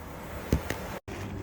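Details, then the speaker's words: Samsung air conditioner after option-code EEPROM setting via wireless receiver and remote: steady low hum and even fan rush with a couple of brief clicks; outdoor unit and indoor fan running normally. "outdoor unit is running indoor fan is running so we're back in business"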